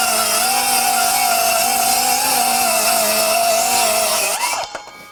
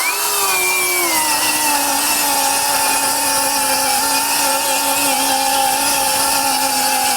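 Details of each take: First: Metabo HPT C1807DAQ4 18V MultiVolt 7-1/4" cordless circular saw, compact 4Ah 18V battery, standard mode (3,800 RPM) cutting two sheets of 1/2" OSB: steady high whine sags slightly as the blade bites, recovers, winds down; slight bogging from pushing the saw. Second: Metabo HPT C1807DAQ4 18V MultiVolt 7-1/4" cordless circular saw with the larger battery cutting two sheets of 1/2" OSB: steady high whine dips slightly as the blade bites, then holds through the cut; mild bog considered normal for an 18V saw.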